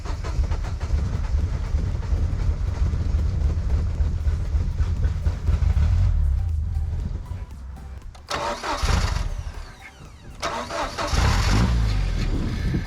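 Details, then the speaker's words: 1998 Jeep Wrangler 2.5 manual, sat a very long time, started on a borrowed good battery: ragged, stumbling running that sags and nearly dies, stays running only with starter fluid; owner suspects fuel pump. "It's not staying running. It's running pretty rough, but a little bit of starter fluid and it will stay running for a little bit. Who knows what it is? Fuel pump."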